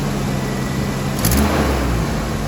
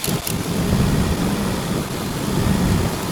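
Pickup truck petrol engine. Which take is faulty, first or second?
second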